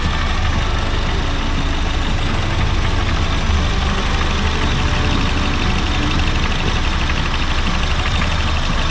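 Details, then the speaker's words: Honda Fit GD3 idling with the AC on on a cool day: a low rumbling from the AC compressor that wasn't there earlier. The sight glass shows the refrigerant isn't overcharged, and the mechanic suspects a slightly worn compressor. "あ、コンプレッサーだね。コンプレッサーね、ちょっとゴロゴロと音出てます。さっきは出てなかったんですね。"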